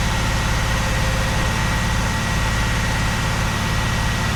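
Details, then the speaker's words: 45-year-old Vauxhall Royale coupé 2.8 L, newly rebuilt engine during cam run-in at 2,000 rpm: steady, deep, even running, no ticks, knocks or misses, four bar oil pressure; smoother than the old engine. "That's four bar of oil pressure. That is absolutely lovely. Three and a half. That's way better than the old engine. And it sounds smoother."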